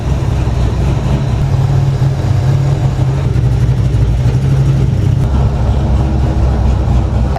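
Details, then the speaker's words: SN95 Mustang drift build fired up again after its first start, exhaust not fully bolted up, no coolant yet: loud, steady low rumble through open exhaust, firing evenly without misses or knocks; starting and running smoothly, normal running. "Fire it up one more time so we can do some cinematic shots while the engine's running and the exhaust is chooching."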